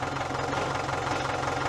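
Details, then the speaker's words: Same Dorado 86 tractor with loader bought at auction with no clutch: diesel running with a rough rumbly grinding underneath, diagnosed as the clutch thrust (release) bearing. "I can't you hear you hear the touch that rumbly grinding noise your thrust bearing. It's a thrust bearing."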